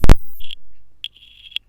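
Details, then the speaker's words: Smoke alarm designed for a 9 V battery, overdriven on 18 V supply: a sharp burst, then short shrill beeps near 3 kHz, far louder than normal, deafeningly loud from excess voltage. "Holy fuck. It was on 18 volts, so it went really loud."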